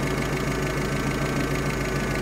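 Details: UAZ 31512 engine, warm, idling at about 780–800 rpm during strobe ignition-timing setup: steady, even low rumble with a regular pulse and no misses or knocks; normal warm idle.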